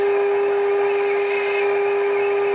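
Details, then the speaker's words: 1963 Motorola AT25BN (AA6) radio under alignment: a steady mid-pitched test tone from the speaker carries a whiny edge and constant hiss because the signal generator is set too high; dropping the amplitude to 10 millivolts clears it. "you hear that whining it's a static I don't care for that so I'm gonna go way down to amplitude and millions there that's clear 10 millivolts"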